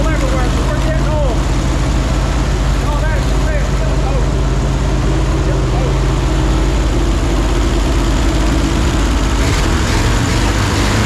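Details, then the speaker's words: 1968 GMC truck 327 small-block V8 after carb rebuild, new plugs and wires, HEI distributor, about 40 lbs oil pressure, gauge reading 230: deep even rumble with no knocks or misses; running smooth and healthy. "how about that sound like butter don't it Sala yeah look at all that oil we splashed everywhere"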